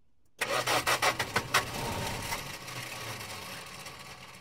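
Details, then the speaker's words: 1970 Dodge Dart, first start attempt on fuel poured into the carb with the fuel system not yet hooked up: several harsh, uneven starter grinds, then a brief catch before sagging; rough, worn-sounding starter. "That starter sounds terrible,"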